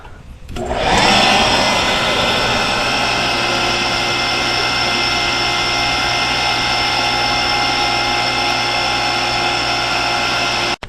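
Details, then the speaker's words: Cottage water supply pump running after priming with a submersible pump through a hose near the foot valve. It gives a steady, even hum and whine with gurgling as the tank fills; normal pump operation. "Hear it gurgling? That's the tank filling up."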